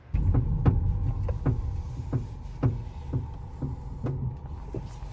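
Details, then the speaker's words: Coilover suspension on a modified car: sharp, uneven clunks about twice a second while steering, from a dry pillow ball top mount; fixed with WD-40 and white lithium grease, after which the noise is gone. "Alright, so these coilover noises, no more. We finally got it fixed."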